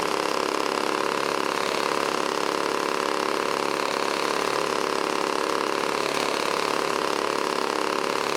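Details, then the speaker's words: 1980s Toro S-200/S-620 two-stroke snowblower restarted and tipped back until it clears out. It holds a smooth, even idle with a constant beat, running cleanly with no stumbling or knocks. "well let's start it up again and I'm going to lean it back"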